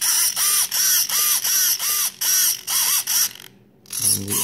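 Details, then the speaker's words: FMS Moa 1.5m RC glider after crash repair: short buzzing servo sweeps, two or three a second, each rising and falling cleanly; stabilizer and all control surfaces working fine, servos moving freely and normally. "and then the stabilizer of course is working and all the control surfaces are working just fine"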